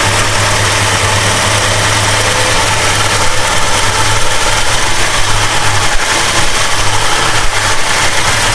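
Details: 1969 Plymouth Road Runner 440 V8, first run after 20+ years sitting, temperature just coming up: deep, steady, even loping idle with no knocks or ticks; normal cold idle.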